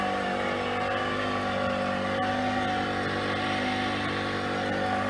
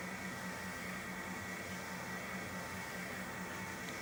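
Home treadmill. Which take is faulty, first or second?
first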